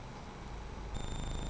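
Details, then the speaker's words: Commodore 64 running a diagnostic test, reaching the SID test; instead of clean test notes a harsh, hissy buzz with thin high whistles; the SID sound chip is faulty. VIC and CPU appear fine. "well that sounds bad yeah okay so that would be why the seed is included cuz it's crap"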